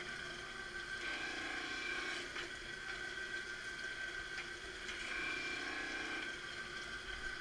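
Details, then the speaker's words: Marunaka MG 500 straight knife grinder rough grinding a blade, head lowering a little each pass until a wire edge forms; even grinding hiss with steady high ring swelling across each pass, normal grinding. "you hear it start to do the grind you just talks out a little each each pass side comes down a little bit do that is talking the nice even pass all the way across until you get a little wire edge on the back of it"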